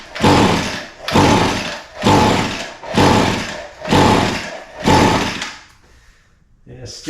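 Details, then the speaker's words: Echo SRM 225 line trimmer with spark confirmed and possibly badly flooded, wide open choke and throttle: six quick rasping pulls about a second apart, with no firing or catch. It cranks but won't start. "nothing all right so we're going to have to look a little further"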